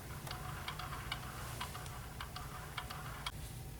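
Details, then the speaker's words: Schwinn AC Performance Plus / Carbon Blue exercise bike flywheel spun backwards: sharp, slightly uneven clicks about three a second over a low whir as it coasts; worn flywheel bearings, replace bearings and/or flywheel. "if you hear this type of clicking noise you will need to replace the flywheel bearings and or the flywheel"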